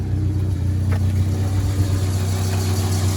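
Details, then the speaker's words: 1987 Ford Sierra Cosworth after 3 years stored: steady deep even hum, no dropouts; after swapping plugs, cylinder 4 kicked in and all four now fire, running properly; slight oil leak burning off block. "Oi, oi, that's better. What a beauty. Oh, mate. How do you feel about that? Ah, wicked. Sweet. So, she's now running as she's supposed to be."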